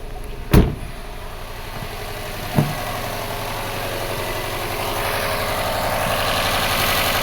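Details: 2012 Subaru Forester SJ/SH, EJ255 turbo, flashing check engine light: steady idle with uneven stumble and sharp jolts while bulkhead connector is wiggled; single-cylinder misfire from intermittent connection cutting coil signal.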